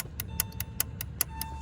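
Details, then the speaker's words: 2001 Porsche 996 Cabriolet flooded with water, battery on charger: with key connected the immobilizer clicks evenly about five times a second, lights flash like alarm, nothing works; immobilizer believed fried. "but when i hook up the key it starts clicking like the alarm is going off you'll see here"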